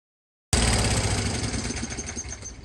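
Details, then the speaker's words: MTD Yard Bug riding mower after gear shift cable replacement that fixed the reverse problem, on a test run: small engine starts and runs at an even, steady thrum; drives smooth forward and in reverse without stutter or jerks. "I mean this thing's running great and driving smooth forward in Reverse no stuttering no no jerky motion with the gears it's all smooth motion"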